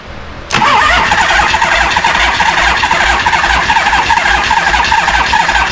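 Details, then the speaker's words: 1974 Harley-Davidson Ironhead chopper unused 15+ years, with a swapped-on carb, fresh oil, no exhaust pipe: brief crank, then catches into rough, loud, uneven running, blasting debris out; first start after long storage. "oh she's blasting all sorts of stuff out"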